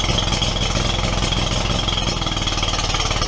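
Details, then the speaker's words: Steiner zero-turn mower, Kohler Command 25 twin, before repair: oil leak from oil cooler lines had soaked the stator, rectifier blowing fuses; uneven, lumpy chugging with loping beat, running on one cylinder. "I did get this fire up the other day on one cylinder that's what the uh complaint is is it's not running it's not running right"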